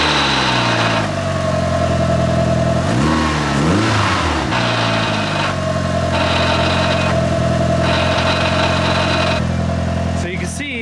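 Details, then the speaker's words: Mitsubishi Evo 5 with old clutch before replacement: engine running with rough metallic clatter and on-off whine under revs; worn, loose clutch pressure plate chattering, owner suspects it causes damage. "I wanted to record the noise so you can hear one of the main things that was driving me nuts about this clutch."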